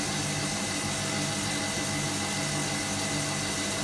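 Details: Hotpoint Supermatic De Luxe 9414 twin tub spin dryer on its final spin after a warm rinse, new belts fitted: steady even hum at speed, no knocking, slapping or scraping; normal spin.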